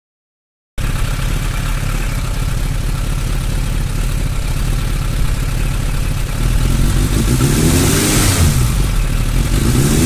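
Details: Suzuki Bandit 600 at idle: uneven, lumpy idle that stumbles and surges, then a brief rev; owner asks what causes fluctuations in cylinder 3.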